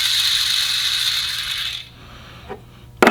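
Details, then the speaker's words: Bearing shown during the Orwell truck transmission rebuild, hand-spun: dry, gritty rasp that coasts down and fades within two seconds; a worn ball bearing that doesn't sound good. "now here are a handful of bearings that doesn't sound so good does it here's another one let's listen to"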